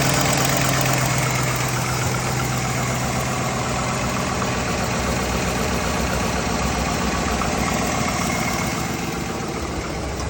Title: Camshaft? Lifter tick? Piston slap?